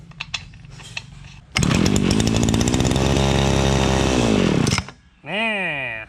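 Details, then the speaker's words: Two-stroke shoulder-strap brush cutter that won't start fires on a little hand-fed fuel, revs hard about three seconds, then cuts out, pointing to a fuel supply fault. "มันมีน้ำมันอยู่แค่นิดเดียวฮะมันก็จะติดนะครับ"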